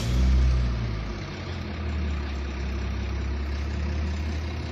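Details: Used Honda Brio Satya during an inspection, started after a stored B0141 code was cleared; scanner shows about 1200 rpm: quick flare on start-up, then it settles into a smooth, steady low hum with no misses or knocks; healthy idle.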